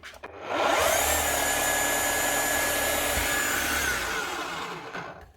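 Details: Makita HR5211C rotary hammer, over 10 years old, after repair with replaced broken conrod and new O-rings: motor winds up smoothly to a steady high whine, holds speed, spins down cleanly; running normally.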